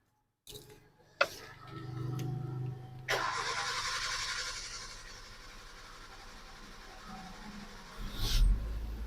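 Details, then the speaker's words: 2013 Maruti Swift Dzire with a crank position sensor fault (history code): starter whirs for a long stretch before the engine catches, and the steering stays jammed after starting. "इसमें खुद से शुरुआत करने में बहुत लंबा समय लगा। उसके बाद, यह चालू हो गया, और हमारी स्टीयरिंग अभी भी जाम है।"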